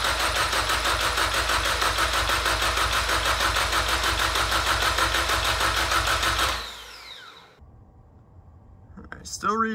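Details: Mitsubishi Evo X with brand-new engine, first start attempt after over two years; even starter churn about three beats a second for six seconds, cranking freely without firing with fuel pump relay pulled; sounds healthy.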